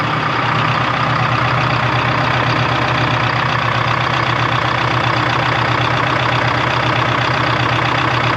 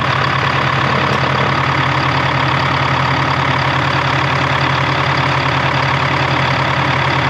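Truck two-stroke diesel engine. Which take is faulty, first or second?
first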